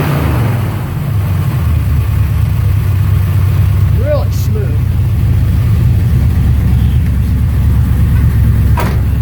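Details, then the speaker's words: 1972 Chevelle Malibu V8 after sitting for years, with a new alternator and the battery and cables fitted, warming up on a cold day: deep, steady rumble with an even beat and no knocks or misses; carburetor still needs adjustment. "it's running really good sounds really good just wait for him to get up to temps"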